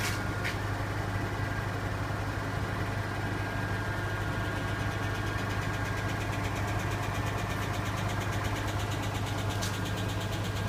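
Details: Nissan Laurel RB20E engine on a cold start at sub-zero temperature: a fast, light ticking rides over the idle, steady with no rev change. Hydraulic lifters not yet pumped up, giving a lifter tick.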